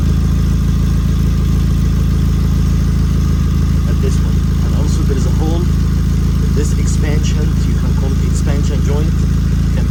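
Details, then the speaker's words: 2006 Nissan Sentra at idle, before repair: loud idle with uneven puffing and a raspy edge over the engine drone as exhaust escapes; exhaust leak. "06 Nissan Sentra Central I have Muffler over exhaust leak so this is I found some leak coming from here"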